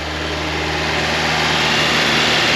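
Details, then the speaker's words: Fiat X1/9 after a camshaft swap, during camshaft break-in at about 2,200 rpm, with timing reset after the distributor was knocked: a steady, fast, even engine note with no ticking or misses. Running healthy. "but we're running we're at about 2200 RPMs we're going to let this sit for Sting the timer it's looking good it sounds really"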